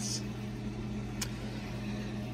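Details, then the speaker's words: Restored 1964 3M Wollensak Model 524 reel-to-reel after new belt and motor spindle grip fix for slipping at speeds other than 7.5 ips; quiet steady motor hum, no slipping, warble or scraping, mechanically working normally. "and we'll try experimenting with that and uh mechanically everything works as it should"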